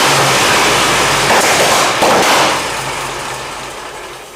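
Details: 1923 Seagrave 1000 cid six-cylinder fire-truck engine, firing order 1-4-2-6-3-5, sat outside for years after a fire, first start fed from a temporary tank with a Nissan coil, on choke: rough, uneven popping around 90 a minute, then fading; still has some problems.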